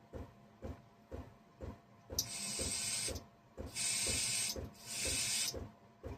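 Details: Toro mower model 18005 carburetor, held upside down and blown through during cleaning: airy hiss bursts start and stop cleanly as the float needle opens and closes. The float needle valve seals against its seat and passes air properly.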